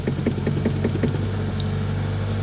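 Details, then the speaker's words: Subaru WRX first start after installing a DW65c fuel pump and COBB Flex Fuel kit, after priming: uneven stuttering puffs for about a second, then it settles into a steady idle. A rough start stumble. "first start it's a little bit of stutter"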